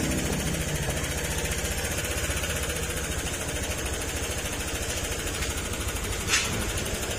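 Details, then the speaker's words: Honda Click scooter after fixing lost compression from wrong valve fitted, new valve seals, and valve clearance adjusted to remove metallic clatter. Even, steady idle putter with no top-end clatter; normal idle. "Adjust valve clearance yan. Wala na yung sobrang ingay."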